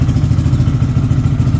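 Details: KPM 200 motorcycle in neutral after air filter change and re-oiling the foam filter: steady, even low thump at idle with no ticks, misses or rattles; smooth, healthy normal idle.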